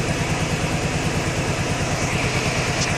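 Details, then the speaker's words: Warm Honda Pacific Coast PC800 converted to MicroSquirt fuel injection, idling during tuning: an even low idle pulsing about three times a second, then the cooling fan kicks on with a steady whoosh. Normal fan cut-in. "Oh, you can hear the fan just kicked on the coolant system on the bike."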